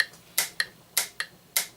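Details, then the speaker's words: Franz FB-4 electric mechanical metronome from the 1940s-50s, AC line-frequency referenced, compared against an online metronome before calibration: two sets of ticks near 100 per minute drifting a fifth of a second apart; metronome running off tempo. "can tell they're a little bit off yeah you can hear those started getting a little out of phase"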